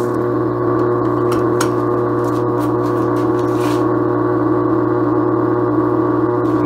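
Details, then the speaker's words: Attic fan electric motor: loud, steady drone with a harsh, rough ringing edge, growling from dry, worn bearings; fixed by lubricating the bearings instead of buying a new motor. "attic fan electric motor and the thing is making a radical noise and I'm going to share with you how to fix that so you don't have to buy a 60 motor"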